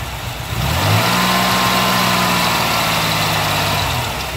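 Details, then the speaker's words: 1989 Chevrolet Celebrity 2.8 V6 with a built cam, hot or cold: misfire and shaking only at idle, smooth even drone when revved or in gear; vacuum leaks checked at EGR, throttle body and intake, smells slightly rich; cause unknown. "right back in idle cutting up again i don't get it"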